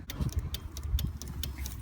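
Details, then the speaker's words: 2009 GMC Sierra 1500 at low idle with LED strobes wired into the reverse lights: sharp relay clicks at an uneven quick pace. Normal strobe relay switching. "this is an LED you're gonna hear the relays clicking and that's normal okay"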